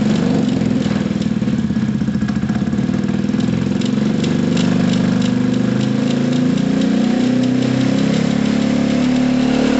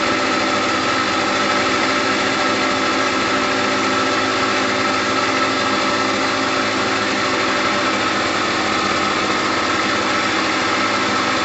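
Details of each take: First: Gilera DNA 125 scooter idling very low and rough, with slight wavering, and it will not take any revs; soft rattle heard is a loose rear brake pad. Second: Gilera DNA 125 two-stroke scooter after a new fuel line, with two-stroke oil in the petrol: bright, buzzy idle holding a constant speed with no surging or dropouts. Normal, healthy idle.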